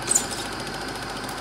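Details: Serviced Eumig dual-gauge 8mm projector running Super 8 film after transport-mechanism repair: fast, even high-pitched clatter at a steady rate as the claw engages the film; projector running smoothly, normal.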